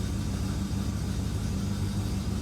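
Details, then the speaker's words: 1967 Plymouth Fury III 383 V8, first start in 15 years after fuel pump replacement and fresh Castrol 10W40 oil: low, smooth idle with an even, unbroken beat, no misses or knocks; idling cleanly. "sounds really good see where the uh tachometer is sitting awesome"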